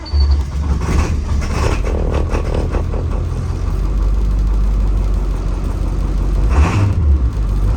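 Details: 2004 IC CE200 school bus, T444E 7.3L diesel, cold start at 24°F after ice storm, block heater plugged in: cranks and catches quickly, settles into even deep clatter at high idle; healthy cold start.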